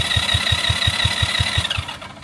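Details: 200cc go-kart (2010 or 2016) reported as having no spark, after a carb clean and a new CDI and coil: fast, even cranking at about five beats a second with no firing and no strain, spinning too freely, pointing to very low compression.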